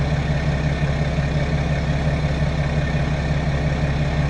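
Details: BMW F10 535d diesel started after fuel filter replacement and fuel system priming: smooth, even diesel clatter at steady idle with no stumbles or misses; running cleanly.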